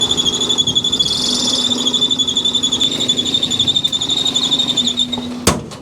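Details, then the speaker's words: 2001 Toyota Camry 2.2L 4-cylinder at idle: loud, steady high-pitched belt squeal pulsing slightly with the pulley's wobble. The cause is a failed, visibly wobbling harmonic balancer (crank pulley); the fix is balancer replacement. "Well, we got some squeaky belts here. Let's see if we can see what's going on. Oh yeah, we've got a wobbly harmonic balancer."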